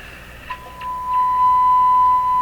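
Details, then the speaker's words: Viking Model 4516 tube radio during wax capacitor replacement, tuned to 1 MHz with a signal generator coil: loud tone near 1 kHz with harsh, buzzy overtones. The receiver is overloaded by excessive generator signal. "because it must be pumping too high a signal in here let's give him something a little more reasonable so that's the end of my and my run yeah I was just overloading the radio before"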